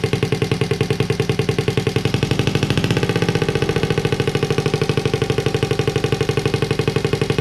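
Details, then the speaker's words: Honda Z50A monkey bike after fitting CR70 stator with original flywheel, manifold not connected to silencer: loud, crisp, even popping from bare header, pulses steady and strong; normal running, open exhaust. "we managed to get it to work and it sounds pretty cool as well in the uh as you can tell the uh manifold isn't connected to the silencer i just wanted to see what it sounds like without it"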